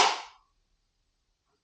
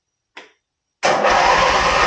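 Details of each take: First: 1980 Craftsman Indy 500 tractor with new battery, brake down and choked: one sharp click (pop) on key turn, then silence, no crank; failed starter solenoid passing no power to starter, fixed by replacing it. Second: 1980 Sears Craftsman Indy 500 tractor, running again after the old solenoid was swapped and the battery replaced: it cranks, catches and runs in bursts with stumbles. Old fuel makes it smoke and run poorly, so a carburetor clean and fresh gas are planned.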